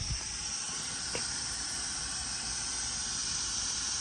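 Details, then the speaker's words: Truck air system, leak at the front corner below the steering wheel: a steady high hiss continues after one chafed line is cable-tied. A second air line has rubbed through on something else. "Why can I still hear air? Oh, I thought I could still hear air. I found another blooming one."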